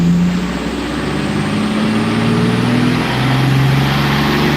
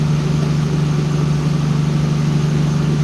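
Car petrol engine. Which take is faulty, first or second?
first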